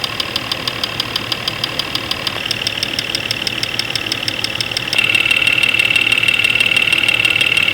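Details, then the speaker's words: Jeep 4.0L six-cylinder at idle, multi-channel tester pickup at the injector area: sharp, even ticking about three per second, louder on number five cylinder; knock there, cause unconfirmed, number five spark plug wire to be pulled to test. "number five cylinder is quite loud we're gonna pull the number five spark plug wire off to take the load off that cylinder and see if that has an impact on noise"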